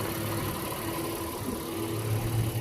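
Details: 2020 Honda Passport EX-L, 3.5 V6, started by remote start: smooth, even low hum with a steady tone and no knocks or misses; normal idle.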